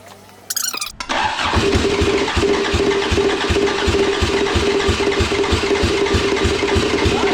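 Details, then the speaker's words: Race car engine during final race prep is cranked by the starter at about three even beats a second but never catches. The crew say they're flooding the engine, though they also suspect it's still running lean, possibly from vacuum leaks. "that's a good click right there now we're just flooding the [ __ ] out of the engine that's all"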